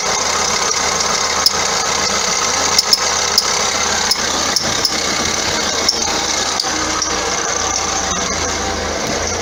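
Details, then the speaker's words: 2009 Vauxhall Astra diesel, complaint squeaky belt and knocking underneath: high chirpy squeal and irregular ticks over the running engine; alternator pulley loose and walking on its shaft, chafing the belt; idler also suspect. "what it is actually is the author lack of pulley on the bottom the the pull is riding up and down the ordinary shaft causing the belt to chafe and squeak"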